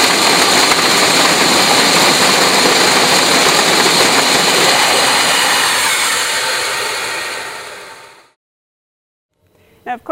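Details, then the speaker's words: Emerson Fisher flow-lab control valve demo: loud rushing hiss with crackle fading steadily as extra air is admitted into the line, cushioning cavitation bubble implosion; cavitation noise reduced by air aspiration. "So you'll hear that there'll be a lot less damage and a lot less noise that would occur in that case."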